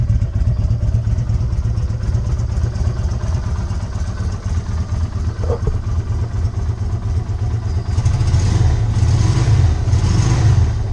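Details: 2020 Izuka CL 250 motorcycle, 500 km, after fixing a fuel fault that made it jerk and stall while riding: steady low thumping idle lifting slightly toward the end, no stumbling or cutting out; normal idle.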